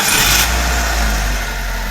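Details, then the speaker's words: Petrol engine after cleaning the VVT solenoid and oil-starved internals, previously rattling despite new timing chain and water pump: starts and settles into a steady, even idle, rattle gone. "发动机完美启动，一起来听一下发动机着火的声音。发动机异响声消失，完美解决此故障。"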